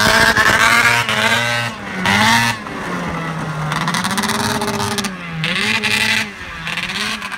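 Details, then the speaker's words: A freshly rebuilt Arctic Cat ZR440 two-stroke snowmobile on its first test drive repeatedly cuts out and sputters as it climbs toward top revs, with late clutch engagement; a fuel pump and carb tune are suspected as needed. "yeah here it's still sputtering at that top end"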